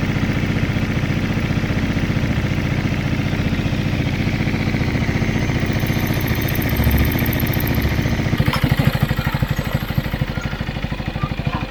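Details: Benelli Motobi 200 Evo after the clicking noise was fixed: an even single-cylinder idle with a steady beat and no stray ticking. The engine sounds healthy now.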